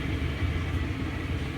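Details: LG gas dryer model DLG2526 after repair of the drum support wheels: smooth low drum rumble, steady and even, no scraping, squeal or thumping; running normally.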